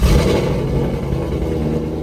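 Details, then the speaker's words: 2002 Chevrolet Corvette C5 Z06 LS6 V8, first cold start after sitting a year and a half, new battery, fresh 93 octane, oil changed and primed: catches at once and settles into a deep, steady, even rumble with no knocks or misses. "All right, there you go. You got your first start, cold start. First start, cold start."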